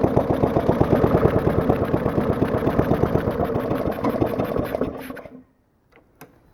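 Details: Old lawn mower with worn rings and heavy crankcase blow-by, started with ether. Small engine chugs with uneven pulses, fades and stalls after five seconds; rough, weak running, cause not confirmed.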